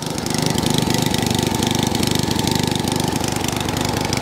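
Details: 20-inch Echo lawnmower, small single-cylinder engine, cold start on choke: fires quickly and evenly with steady beat, no misses or knocks; running healthy.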